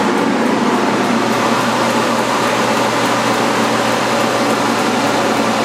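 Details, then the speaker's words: Propane heater run with the propane turned off, blower at full speed before a dimmer is fitted to slow it. Loud, steady rushing roar with a faint constant hum and no knocks or rattles; the blower runs normally at full speed. "I want to just see what this fan is like that's pretty loud"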